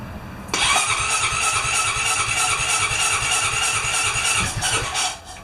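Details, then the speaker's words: Honda Rancher 420 sat over a year, fresh fuel with injector cleaner added, carb cleaner and penetrant sprayed in throttle body, air filter off: starter whines, engine turns over unevenly about four seconds without catching; cranks but won't fire. "It's trying. Now, keep in mind, I've been shooting carburetor cleaner and penetrant in the throttle body, trying to free it up."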